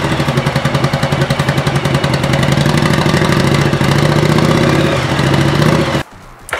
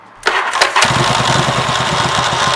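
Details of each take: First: 1985 Yamaha Virago XV700 cold V-twin cranks laboriously in an uneven beat, almost four pulses a second, struggling to catch, before a voltage stabilizer is added; owner believes the starter draws so much current the ignition lacks power. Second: 1985 Yamaha Virago XV700 V-twin after installing a voltage stabilizer for the spark plug unit, added for starter grinding issue: brief crank, catches almost instantly, settles into even steady idle; clean quick start.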